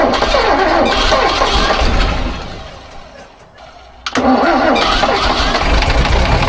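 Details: Overgrown concrete mixer engine started after 10 years unused: runs loud and busy, drops off, then catches again with a sharp pop and returns to a rough, steady run.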